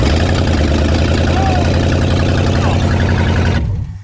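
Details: 1959 Ford Galaxie Fairlane 500, 352 V8, first start in years, leaking gas, timing to be adjusted: loud lumpy idle with uneven low beat, runs a few seconds then dies; rough first run after long storage.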